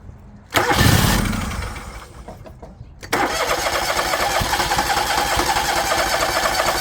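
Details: Liquid-cooled Kawasaki, John Deere LX178 mower, after fuel filter change with a leaking valve: cranks, catches briefly and dies, then restarts into a rough, uneven idle; carburetor flooding badly, leaking fuel onto the muffler.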